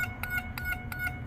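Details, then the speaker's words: 1983 Buick Riviera 5.0L with a parasitic battery drain: after the chime module was repaired and plugged back in, the headlights-on and key-in-ignition warning chime sounds as clean, evenly spaced pulses about three per second, so the chime is working properly. "so chime module's working there put the key in ignition you hear it there i don't know how loud this is supposed to be but uh you can hear it so that's awesome"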